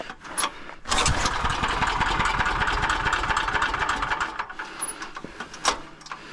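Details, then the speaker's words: Small pull-start generator finally coughing into life after a dead moment, then running with an uneven, lumpy beat before settling; afterwards smells too hot, owner cleans air filter; rough start, engine catching. "It almost wanted to go. Yeah, it kind of wants to"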